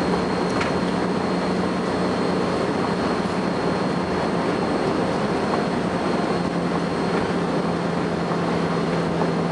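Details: First Manchester Volvo B10BLE bus 60403 (S670SVU), recorded 30 May 2011: thin, steady high whistle rides over diesel drone and road noise throughout; source of the whine not identified.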